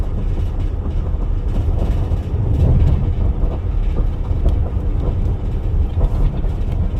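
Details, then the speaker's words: Heavy low road rumble with a repeating thump about twice a second from a tire slowly tearing apart without the driver noticing. "Ce pneu se déchirait lentement sans que le conducteur ne s'en aperçoive."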